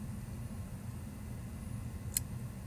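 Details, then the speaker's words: Degraded WD 4TB hard drive during a RapidSpar data recovery: quiet hum, then one sharp click as the read speed drops to zero and the head fails to read a bad sector, which the software then skips. "yeah you hear that click there so tries to read it can't so the software is going to just basically skip all the bad sectors"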